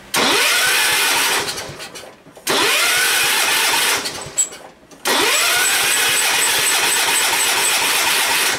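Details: Long-dead Ford garden tractor, carburetor float set to maximum and both mixture screws about two turns out: three separate cranks, each catching briefly and dying within a second or two. Fuel delivery is suspect; a carburetor screw was blocking the fuel.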